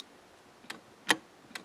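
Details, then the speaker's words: Range Rover shift interlock solenoid, ignition on, foot on brake, micro switch pressed: three crisp quiet clicks as the pin snaps in and out; circuit working, normal solenoid actuation. "you press the micro switch so that circuit is working"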